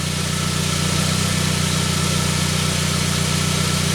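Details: 1999 Saab 9-3 after its crank-no-start from a weak sensor signal was fixed; the signal now reads 6.3 V running with an 11.4 V notch. Steady, even idle hum with a smooth regular beat and no misses or knocks.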